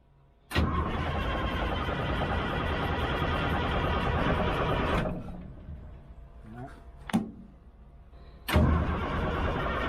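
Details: Old 6x6 deuce-and-a-half army truck diesel fed from a temporary fuel line off the tank: two cranking bursts of steady, labored turning that never fire, quiet pause between; fuel starvation, cranks but no start.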